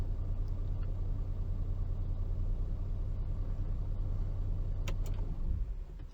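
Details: 2011 Mercedes-Benz W212 E350 BlueTEC diesel after a fuel filter replacement and priming: steady, even low idle with no knocks or misses, then winds down at switch-off; sounds healthy.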